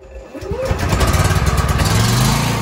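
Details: Champion 4250 W inverter generator, push-button start with auto choke, no load: brief cranking, catches within a second, settles into steady even run with no misses; healthy start.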